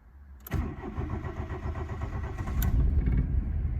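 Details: Volkswagen Jetta untouched for two years, first start attempt without choke: the starter cranks and the engine fires, stumbles unevenly and dies. It later ran well once the choke was pulled.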